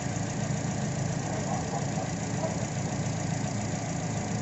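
A low, uneven idle with a lumpy, stumbling beat points to a misfire from a failing ignition coil pack.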